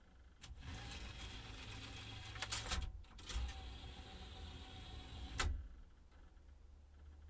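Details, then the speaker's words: Technics SL-MC400 CD changer, single disc loaded in slot 1: continuous motor whir with clunks and clicks as the mechanism keeps cycling and won't stop after pressing stop, never detecting the disc; sensor error suspected, not confirmed. "It says single disc, but it can't see the disc. This is what I'm not understanding. I've a strange feeling that I've pressed the off, but it still keeps going."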